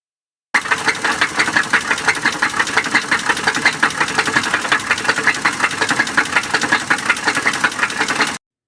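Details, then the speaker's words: Engine knock example: a sharp, regular knock about three per second over the running engine, distinguished from a tick; knocks often indicate internal engine damage, stop driving and have it inspected. "first we need to distinguish between a tick and a knock knocks are more serious and often indicate internal engine damage and they sound like this"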